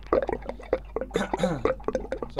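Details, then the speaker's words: Megaflo unvented hot water cylinder during air-gap recharge, mains cold supply off, hot tap and relief valve held open: irregular wet gurgles and drips as air is drawn back into the internal chamber, repressurizing the tank. "effectively what's happening here is air is going back into the tank. There's a chamber inside here, is my interpretation of what's going on. And this chamber is then slowly filling up with air and repressurizing the tank itself."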